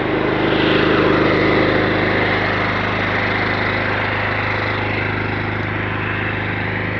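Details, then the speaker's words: Kohler SDMO 6000 HX 6000 W generator powering a whole house (lights, fridges) as the air conditioner comes on at full: drone eases slightly lower and quieter under the load, then holds even; normal, working well. "On entend le groupe électrogène ralentir légèrement, c'est normal. The air conditioner is on load and the electrogenerator is slowing down a bit. This is normal because we have many consumers calling for the current."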